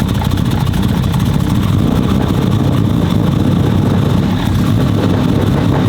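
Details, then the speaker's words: 1500 hp Nissan Skyline R32 GT-R build, first start after completion, oil being topped up while running: loud, deep, choppy idle steady for six seconds without misses or knocks; engine running healthy, no visible leaks. "It has been too long since I've heard this thing, man. God. Let's go. Sounds angry, boys. Sounds angry. God, sounds so good."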